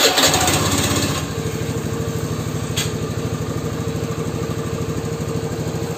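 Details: Honda Beat FI scooter after fixing top-end power loss by fitting a hose spacer at the throttle stop instead of replacing the TPS: a quick start that catches cleanly into a steady, even idle pulse with no stumble.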